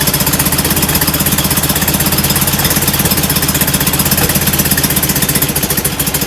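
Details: Rebuilt, enlarged performance VW air-cooled flat-four on first start after a pushrod tube fix: loud, rapid, lumpy chugging idle, running rich; idle jets suspected too big, despite bigger air cleaners.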